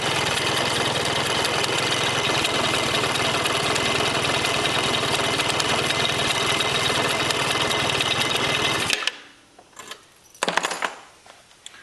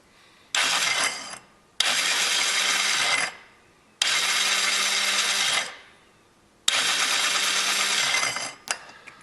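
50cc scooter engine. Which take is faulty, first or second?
second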